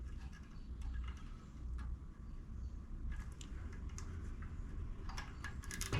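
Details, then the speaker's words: Toro 22-inch Recycler push mower, hand-spun with the brake zip-tied back after connecting rod failure and camshaft removal: slow low churning with scattered dry clicks and ticks from the top end; the cause is not confirmed, possibly play. "well still getting a little bit of that noise though huh I think maybe just with the play"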